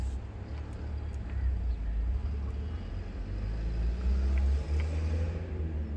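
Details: Toyota Land Cruiser V6 cranks but won't start: low, uneven starter churning about four beats a second and the engine never catches; the fuel pump relay is suspected but not confirmed.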